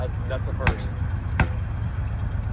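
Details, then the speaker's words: Rare RV engine backfiring on throttle lift-off: two sharp, loud cracks about three-quarters of a second apart over a low engine drone; the cause is unconfirmed. "I could hear you guys every time you let off and go bang bang bang bang bang bang bang bangle."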